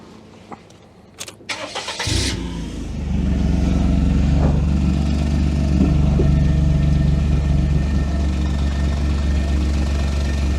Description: Miss Daisy, our 1998 Daihatsu Sirion M100, has developed quite the exhaust blow.